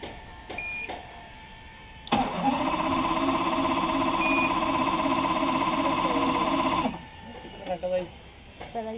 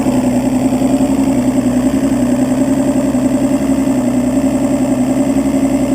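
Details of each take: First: Evinrude 200 two-stroke outboard with spark and fuel confirmed and a suspect ground wire at EMM pin 22: starts only after fuel is put into the cylinder, catching briefly with a steady buzzing run for about five seconds before cutting out; hard starting, cause unknown. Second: Evinrude 200 two-stroke outboard that only starts after fuel is put in the chamber, and whose EMM pin 22 wire gives no ground: once started, a steady, even idle with a smooth buzzing beat and no stumbles or surging.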